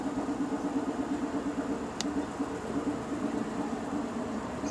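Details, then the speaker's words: 2007 Nissan Quest 3.5 V6 with P0300 random misfire, idling with one injector disabled via scanner actuator test: lumpy uneven pulse and shaking, showing that cylinder works; used to isolate the misfiring cylinder. "okay yes that cylinder it's working see how the camera starts shaking"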